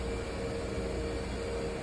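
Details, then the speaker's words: Walk-in cooler restarted after power outage, rewired with delay relay still to be replaced: steady low hum with faint constant tone, no knocking; normal refrigerant flow at startup. "all right you can hear it should be engaged running so we're good"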